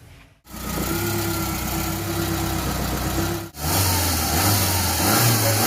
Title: maruti zen missing problem, misfire